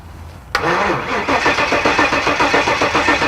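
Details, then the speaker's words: 1974 Jaguar with freshly swapped engine cranked without ignition to draw fuel to the carburetors and build oil pressure: starter clunk then slow, labored cranking about four beats a second without firing; cranking slow. "That's cranking slow."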